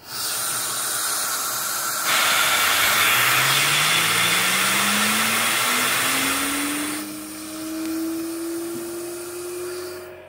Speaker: we got the new turbine with a much larger shaft ralph had this thing going up pretty fast and it's super super smooth